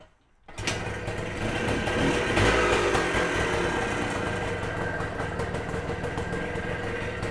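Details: Kawasaki KE175 vintage two-stroke motorcycle pulled out of storage and made street-ready, transmission case oil checked: crisp two-stroke crackle picks up and settles into a steady even run, no knocks or rattles; healthy engine.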